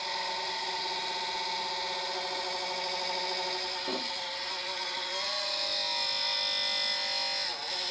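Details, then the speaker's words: New GMA465 multi-charger emits a high buzzing whir with faint warble and pitch dips; noise stops when tapped, cooling DC fan suspected (blade contact or broken shaft), fan later replaced. "ニッカドバッテリーやリチウムバッテリーを充電、放電出来るマルチチャージャーを購入したところ買ったばかりの充電器から変な音が鳴り始めました"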